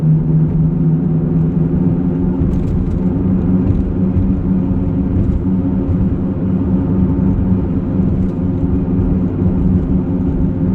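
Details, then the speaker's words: 2007 Honda Pilot heard inside the cabin while driving: a steady low droning rumble at road speed, much like out-of-balance tires; owner suspects a bad front wheel bearing, which he then replaces. "so anyway let's get on the road it almost sounds like out of balance tires"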